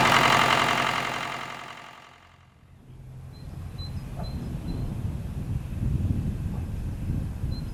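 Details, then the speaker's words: Old diesel tractor, glow plugs preheated only a little, after milky hydraulic fluid drained and oil refilled: roughly four-per-second cranking dragging on under a rough rumble without catching cleanly; hard starting, owner suspects insufficient fuel supply. "Preheated a little bit. It's gonna be difficult to start it again, that I'm sure of."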